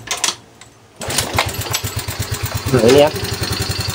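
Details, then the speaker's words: Yamaha Fino scooter after an owner rebuild with new piston, head and block parts, now lacking clearance: a sharp, even metallic tapping several times a second over the idle. It sounds like the piston is striking the cylinder head. "nah ini bunyinya kayak bunyi nabrak gitu ya"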